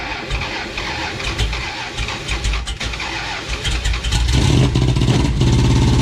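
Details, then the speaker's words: 1970 Dodge Charger with a 950 Holley three-barrel carburetor, flooded, settings not yet tuned: cranks, catches and settles into a lumpy loping idle, running extremely rich, carburetor bogging. "That is so fucking pig rich, it ain't even funny. There you guys go. That engine is so fucking pig rich."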